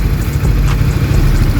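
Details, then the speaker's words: 2021 Honda CBR150R with engine noise, cam chain tensioner deliberately backed off: uneven clattering at idle from the slack timing chain, which is smooth again once the automatic tensioner re-tightens it. "Beginilah bunyinya saat longgar."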